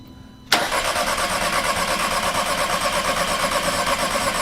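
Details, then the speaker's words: 2006 VW Passat 2.0 turbo, no-start after broken timing belt: starter spins fast and evenly at about three beats a second with no labouring; weak compression suspected, possibly wrong belt install or bent valves, not confirmed. "this engine does not sound like it has good compression did you hear how ease easily that that cranked did that sound like a compression issue"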